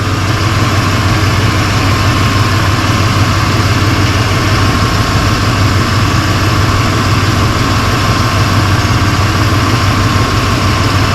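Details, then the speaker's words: 1995 Ford Bronco after R134a AC recharge (clogged orifice, leaking high-pressure switch): steady idle with even compressor hum, clutch now spins non-stop without cycling clicks; inside temperature down from 70 to about 50 degrees. Normal AC compressor operation. "this clutch now spins Non-Stop and all we have to do like I said earlier is turn your AC off before you turn the truck off"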